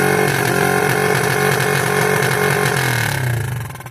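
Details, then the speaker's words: 1986 Yamaha YFM Moto4 200 ATV after carb work, once warm: the single cylinder holds a raised, hunting idle, then the revs sag and stumble. The throttle cable is tight; the owner suspects a sticking needle valve. "What the hell makes it do that? It sounds like a almost like the damn needle valve sticking. I know better than that. It runs so long and then it does that."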